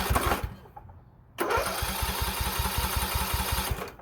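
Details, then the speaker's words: Poulan Pro 18.5 HP lawn tractor that quit in use, found with oil barely on the dipstick: fast, even cranking chuffs with a loud rush from the muffler and no firing; open exhaust valve, low compression confirmed, fixed with a new push rod. "I'm hearing a lot of noise coming from that muffler. We might have a open exhaust valve."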